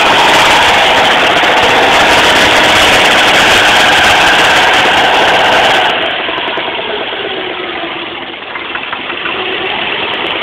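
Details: Subaru engine running with a spun rod bearing on cylinder 3: steady knock about four times a second, with a second knock from the piston hitting the head; poor recording quality.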